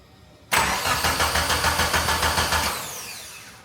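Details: 1995 Mitsubishi Eclipse 2G DSM after two years sitting, with refitted fuel rail and tune adjustments: steady uneven crank chug about 3.5 beats a second for two seconds, spins down without catching; crank no-start, more tune adjustments needed.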